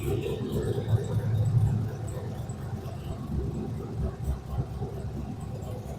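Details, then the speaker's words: V8 idling after Dragonfire ignition upgrade kit installed: deep, steady rumble with even beat, firing on all eight cylinders, no misses or knocks, no codes yet; normal idle. "It sounds like it's firing on all eight cylinders. Haven't had any coats pop up yet. Should be good to go."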